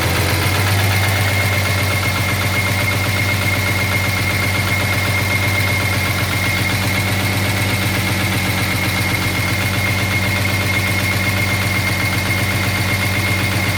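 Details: 1983 Jaguar XJS V12 at idle: a steady, fast tapping knock holding a constant beat over an otherwise even idle; owner suspects a dropped valve seat, not confirmed.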